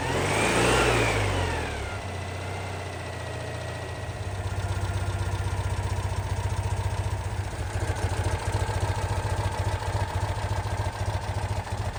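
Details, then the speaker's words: 1988 Citroen 2CV, stone cold, just fitted with 123 electronic ignition replacing points and condenser: cranks briefly, catches fast and settles into a steady, even low idle with no misses. "Yeah, sounds good. The engine is stone cold, so let's take this for a proper run when it gets light tomorrow morning."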